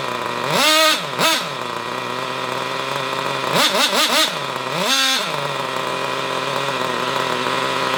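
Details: Hobao Hyper cage buggy nitro engine (previously seized) revving with high, buzzy, peaky blips that sound thin and lean; owner blames an unhealthy carburetor rather than tuning and expects running it in to help.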